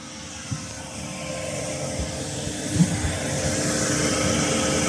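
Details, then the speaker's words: Chinese diesel air heater after swapping in a quieter fuel pump, running at full power: steady smooth blower roar building slightly, no pump clicking audible; heater running normally. "okay's fired up not leaking I can see anyway so and it's quiet I know we got the exhaust going but can you hear that just a very slight ticking"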